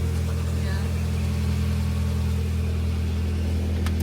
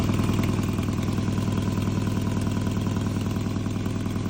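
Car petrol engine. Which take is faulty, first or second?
second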